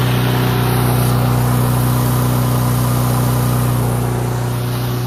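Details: Troy-Bilt mower with Honda engine, after carburetor cleaning and draining water-contaminated fuel (fresh gas), previously would not start: fast even beat, no misses or stumbling; runs cleanly, idle speed set a bit high and needing adjustment.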